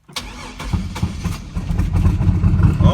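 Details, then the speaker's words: 1999 Camaro 3800 Series II V6 twin-turbo build, excess fuel smell suspected soaking plugs, fuel pump relay pulled, 20 psi fuel pressure: short crank then engine unexpectedly catches into a rough low idle, quickly shut off. "see I had three [ __ ] camera rigs out and the [ __ ] starts after I pull the [ __ ] relay output everything away"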